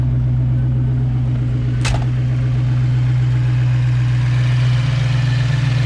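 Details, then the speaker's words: Rebuilt 302 with GT40P heads, Cobra cam and stock speed-density ECU, idling around 1,000 rpm and running rich after break-in pulls: lumpy V8 idle with fast light ticking riding over it; a bit of rocker noise from the valvetrain. "Yeah, got a little bit of rocker noise, so what? Put it up against your valve cover, cover your ear, put it on the actual wood, and you can hear your whole valve train."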